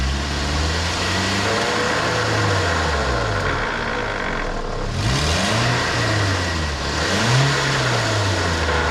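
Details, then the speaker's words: 2010 Toyota Corolla, wheel spun in the air on a lift: a constant rough hum and growl that rises with wheel speed, from a worn wheel bearing. A junkyard bearing was bad; replacing it with a new one fixed the noise. "so it ended up being this wheel bearing I didn't film it but I replaced it with a new one"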